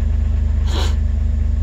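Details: 2006 Jeep Wrangler TJ, 4.0 straight-six, nearly 238,000 miles, warming up on a chilly day after an oil pump drive and cam sensor replacement for P0016. Even, steady idle pulse with no ticking, knocking or misfire, just one short hiss. Normal idle.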